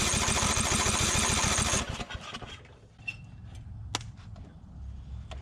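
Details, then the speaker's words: 2004 Craftsman DYT4000 riding mower (Briggs & Stratton), abandoned in a field, PTO disengaged, brake set: fast steady cranking under two seconds, briefly kicks over then dies. Fuel starvation, as poured fuel can't get past the curved intake tube. "i'm having a hard time getting enough fuel down into the into the carburetor because of the it's got the intake tube that curves around so let's see there we go sound like it kicked over that time"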